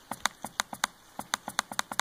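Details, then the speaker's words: Laptop reassembled after realigning the trackpad pin over the dome switch: crisp distinct clicks about seven a second in quick bursts; right and left click and tapping now work. "good good um okay so let's see right click boom working uh let's go down here left click it's just really slow but it worked great"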